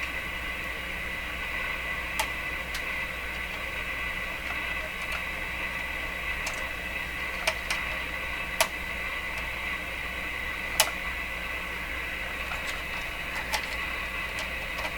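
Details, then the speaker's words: Viking Model 54-51 tube radio during voltage checks, speaker static: random sharp crackles and pops over steady hiss; tapping finds no source; IF can silver mica disease considered but doubted, since that tends to sound continuous. "not having any luck so I was saying there can be an inherent problem inside the if' cans themselves which better known as the silver mica disease"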